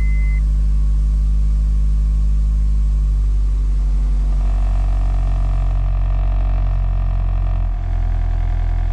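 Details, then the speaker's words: Cold start and idle of a recently bought Honda Prelude: a deep, even rumble settling into a smooth, steady idle with no knocks or misses, starting and idling well cold; check engine light on, not yet checked. "it seems to start an idle pretty good for a cold start and uh that's a good thing"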